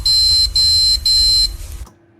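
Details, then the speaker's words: Desktop PC on a repair bench that beeps and won't start, fan stopping or stuttering: three long, shrill, evenly spaced beeps that then fade; a memory-fault beep code caused by the RAM. "الصوت ده كله بيبقى بسبب الرامات، غير كده مفيش."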